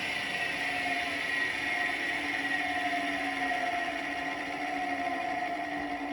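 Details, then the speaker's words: 220 V capacitor-run electric motor after reverse wiring, capacitor lead moved to 220 V; smooth, even hum with steady pitch, no knocks or rubbing, running cleanly in reverse; everything works. "все работает."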